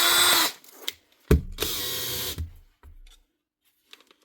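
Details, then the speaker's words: Makita 18V cordless drill from a repair box: two clean bursts of high, even motor whine with a brief chuck ratchet between them; clutch and hammer working and it runs healthy. "What's wrong with this one? Clutch is working. And hammer's working. We're off to a great start."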